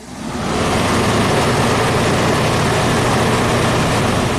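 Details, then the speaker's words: 1991 Audi Turbo wagon, fan relay jumped to compare speeds: a steady even whoosh builds within a second and holds, no rattle or wobble, clearly the higher fan speed; relay three is thought to drive low speed. "that's definitely higher speed so I think relay number three this cooling fan delay uh that's the one that's the low speed controlled by that whatever turbo coolant pump relay"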